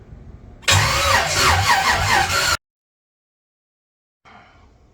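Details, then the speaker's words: Chevrolet S-10 truck with temporary wiring, jumper-cabled starter and no radiator: starter churning about three beats a second with no firing; cranks but won't start, cause not yet known. "But so I just sat and cranked on it a little bit more, and it doesn't seem to want to fire. I'm not completely sure why."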